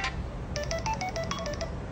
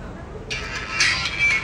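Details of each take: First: Samsung A10s speaker playing ringtone clearly, no crackle or hoarseness, after the non-original charging board that distorted audio was replaced. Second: Samsung A10s phone ringtone sounds thin, harsh and hoarse after charging board connector was replaced with non-original part elsewhere; original board oxidized; distorted loudspeaker.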